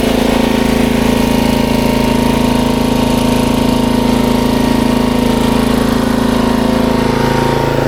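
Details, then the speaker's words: 1994 Troy-Bilt 34044 33-inch mulching walk-behind mower with Briggs & Stratton engine: a steady run with a rapid, even clatter about three times a second because the twin blades, which must be timed perfectly, were likely mistimed after a blade change and collide. "all right those blades obviously are not correct they hit each other on the way around so that's probably why they put it to the curb they thought I can change the blades and then they changed the blades and messed it up those have to be timed perfectly"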